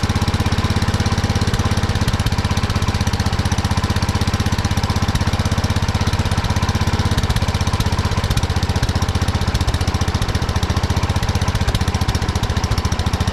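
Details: 1979 Kohler K301 12 hp single-cylinder mower engine after electrical and carburetor repair: fast steady idle with no drop-off, running too high; carburetor idle adjustment set too far.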